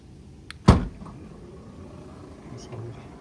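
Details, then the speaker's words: 2015 BMW 4 Series Gran Coupe after replacing the trunk latch assembly (51247840617) since the electronic latching had stopped working: one short clean clunk as latch pulls the lid shut, no grinding or repeated clicking; working properly. "it's working let's try one more time still sounds better than before"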